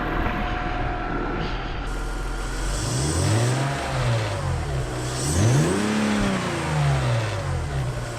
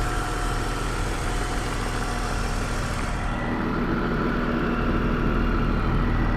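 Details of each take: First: BMW M54 engine, candidate for an E21 track car swap, not run for over a month, with the air filter box disconnected: it idles smoothly, but revs rise only after a lag and an induction noise following throttle. Delayed rev response, cause unconfirmed. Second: BMW M54B30 straight-six, a swap candidate for an E21 track car, with breather to catch can and part of the air filter housing missing: low, even idle hum with no misses, knocks or ticks; runs smoothly, slight delay in revs after pressing the accelerator.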